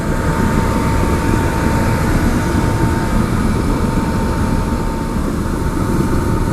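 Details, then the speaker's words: Century/ProTemp torpedo heater after repair, running on old fuel at 5 PSI pump pressure and fired up on the first try. A constant roar with a steady fan whine and no sputter or pulsing as the chamber glows red; clean, even burning. "she's starting to glow red so she's burning well and you can hear it"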